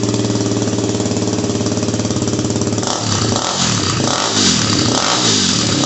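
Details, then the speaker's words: Yamaha WR250R with Honda CRF230F muffler repacked (new fiberglass, stainless screen, RTV sealed), cold start: steady single-cylinder thump at idle, then crisp throttle blips, even exhaust note; owner thinks it sounds a little better. "don't know if you can tell the difference but to me it does sound a little better"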